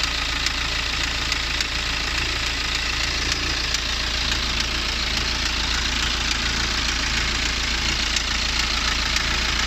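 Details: BMW N47 177 PS diesel engine idling with sharp regular knock, a little under two per second; cause unknown.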